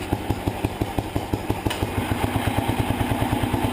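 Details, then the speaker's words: 1975 Sears Suburban ST16 garden tractor after oil change, cleaned gas tank and starter brush cleanup, started without choke on battery and revved: even, regular firing pulses about three per second, valves very quiet; normal running. "I don't even hear the valves. Try giving it a rev. Oh, the valves are so quiet."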